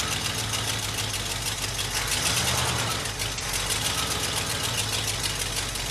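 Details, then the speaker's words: Early-1980s (about 1984) Ford F-150 V8 revived after sitting, still untuned: fast, steady idle well above normal with lots of hiss and a busy top end, set deliberately high to keep it running in gear. "i was able to get it to stay running while in gear by obviously having it idling high as hell"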